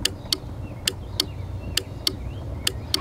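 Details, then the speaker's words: Starter relay on a no-crank diagnosis car, switched on and off repeatedly with the mic taken off: crisp sharp clicks about once a second, often paired as it pulls in and drops out; relay switching normally. "I just wanna let everyone hear that this relay is gonna click. Take my mic off real quick. Go ahead. Keep clicking it"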